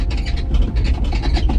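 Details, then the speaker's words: 2025 Ford Bronco Raptor driven off-road over rough desert ground: faint quick squeaks over heavy low rumble, the hardtop squeak also present on a 2024 Bronco. "you hear the squeaking, the squeaking that comes from the hard top. I've got that, too."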